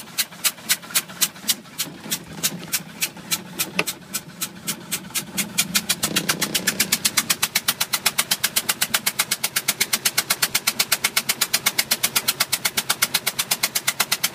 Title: Bayliner 175 2005 with knocking noise